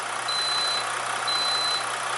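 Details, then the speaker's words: Inverter on a roughly 24 V battery bank (29–30 V), 120 V output, loaded with a heat gun at its 750 setting (meter reads about 1500 W). It sounds an immediate overload alarm: high beeps about once a second over fan hiss. "we're going to turn the heat gun on turn it on 750 immediately complains"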